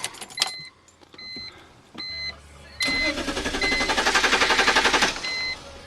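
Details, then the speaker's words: 2002 BMW 325i cranks but won't start, despite adding gas: several short cranking attempts, then a fast even cranking rhythm of about four beats a second that never catches; owner has heard fuel pump or starter suggested, cause unknown. "I'm having a little bit of trouble trying to start this BMW 325 I um whenever I turn the ignition it always it cranks but it doesn't start"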